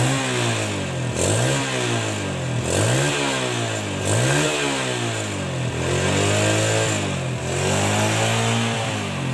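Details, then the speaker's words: Rebuilt Yamaha Jupiter Z motorcycle engine revved in even blips, pitch rising and falling cleanly; the earlier rough klotok-klotok knocking is gone, now running smooth after the rebuild. "Suaranya udah lumayan halus, nggak ada suara klotok-klotoknya lagi ya."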